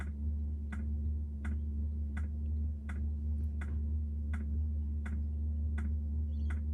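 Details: Diesel heater newly installed on a Jayco Freedom caravan, heard from outside: crisp, evenly spaced ticks about every 0.7 seconds over a steady low hum as the dosing pump meters fuel normally.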